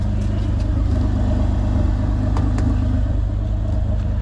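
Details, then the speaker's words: Lexus IS250 after front-end collision with front parts removed: smooth even low idle with steady rumble, no knocks or misses; engine sounds healthy. "I've taken apart most of the stuff in the front. Make sure it's drivable. Still sounds great as you can hear that."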